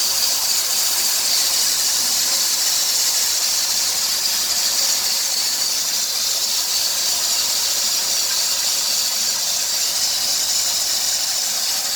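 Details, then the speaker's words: 2003 Dodge Grand Caravan 3.3 with 372,528 miles: a constant hissing squeal with a chirpy edge, louder near 2000 rpm, that sounds vacuum-like but the engine runs smoothly. It stops when the belt is sprayed with water. The idler, tensioner pulley and power steering pump are already replaced; the owner suspects the drive belt. "almost sounds like a vacuum noise but the engine runs too smoothly to be a vacuum so i think i'm going to try a new drive belt and see what happens"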